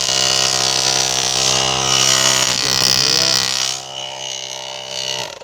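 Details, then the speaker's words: JF.EGWO 6250A jump starter's built-in air compressor (rated to 150 psi): steady buzzing drone with an even fast pulse, holding constant before winding down and stopping; normal operation, not too loud. "You guys can hear it. It's not too loud. It sounds louder probably to you guys. I'm not sure, but it's not too bad."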